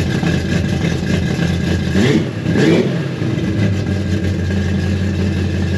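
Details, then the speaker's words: 1957 Chevy V8 revived after 31 years, fuel sending unit fixed: deep, steady rumble with one brief rev blip, running fairly evenly but a little rough at startup idle, which still needs adjusting. "so I guess that was the issue because it ran pretty good A little rough on the startup Idol still has to get adjusted"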